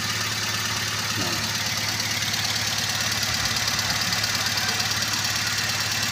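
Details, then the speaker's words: Toyota Avanza at idle with engine shaking: lumpy stumbling misfire about twice a second, lacking power, high fuel use and fuel smell; weak or dead ignition suspected, not yet checked. "Jadi bisa kemungkinan ini ada dari pengapian yang kurang setrum atau pengapian yang sudah mati lebih baik kita cek saja"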